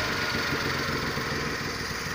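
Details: Whistle under acceleration: a thin high whistle rides over the engine's steady drone when the gas pedal is pressed, appearing at 2500–3000 rpm; cause unknown.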